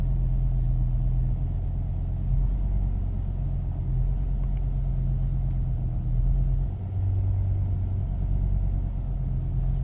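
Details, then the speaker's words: 2005 BMW M5 with S85 engine at idle: deep, uneven rumble that lumps and stumbles every few seconds. One cylinder is misfiring; the ECU is cutting injection to cylinder five. Cause not yet found. "I don't know if you can hear the ref our rough the engine is running look at that one"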